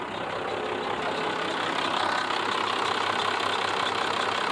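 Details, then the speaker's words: Old 5.9 Cummins diesel after sitting about a year, just started with a NOCO GB70, given a little throttle: uneven diesel clatter at idle that doesn't settle, and it then dies. Rough idle, which the owner suspects is due to old diesel fuel. "I'm giving a little gas this thing has not run right probably because it's got old diesel in it oh it died"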